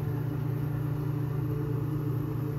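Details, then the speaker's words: Old pop vending machine compressor building pressure: smooth even low hum, no rattles or clicks; lines hot, ice cold down below, compressor working normally. "sounds like compressors making this building pressure I can hear the typical compressor sounds those lines are hot that's ice cold down there so compressor is working"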